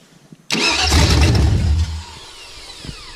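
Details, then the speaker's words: 1999 Chevy 5.3 V8 4WD junk donor pickup, start attempt fired off the starter S terminal: quick even cranking, then it catches with a deep roar and settles to a smooth idle. A healthy start; it's a runner. "Alright, so she's gonna be a runner. Good. Now I want to see if it's gonna be a good runner."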